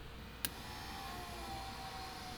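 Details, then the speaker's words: Rotary-engine Corvette being converted to E85: fuel pumps tested by jumping their power line, giving a faint steady electric whir and soft hum with no grinding; they pick up fuel, the pressure gauge rises and there is air in the system, so they prime normally. "they're picking up fuel and fuel pressure gauge is going up it's working it's working there's a lot of air in that system"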